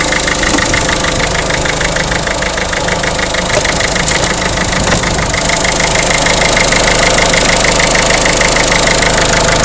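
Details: Peugeot 307 1.6 HDi diesel at idle: sharp, steady, pronounced knocking about two per second above the idle; abnormal engine knock, cause unknown.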